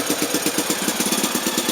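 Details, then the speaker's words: NSU Max single-cylinder motorcycle at first start, kick-started, fuel on, oil circuit checked, a little smoke from various places: crisp, even thumps about eight a second, steady with no misses or knocks. It sounds right, a normal idle. "Ja, der kommer lidt røg ud forskellige steder, men sådan lyder den altså. Den lyder rigtigt, ja."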